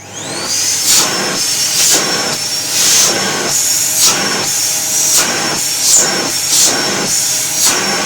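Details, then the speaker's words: Samsung SC6650 1800 W vacuum cleaner, after repairing a noisy, humming, sparking motor: a steady high motor whine with even airflow hiss; it runs smoothly and normally. "[музыка] все хорошо работает"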